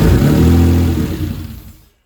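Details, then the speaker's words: Mitsubishi GTO twin-turbo with a rebuilt engine, first start in 3 years, fuel pump relay jumped with a wire. Fires strongly, then dies; the owner suspects the fuel pump changeover relay cuts the pump after priming. "so the engine's starting sounds pretty strong but it it's not staying on"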